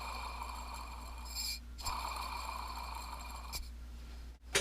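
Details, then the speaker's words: Craftsman belt sander tracking idler rollers removed and spun by hand: rough, gritty whirring rasp with faint thin ringing; they spin freely, unlike grease-packed new ones. Worn roller bearings. "it's funny when I put the new ones on they'll be very quiet but they won't spin as freely as this"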